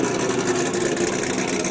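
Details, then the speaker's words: Corvette at a lumpy but regular V8 idle, with a strong exhaust note and no tapping or clatter. Normal idle; it sounds good. "right yeah that thing sounds good doesn't it sounds so good"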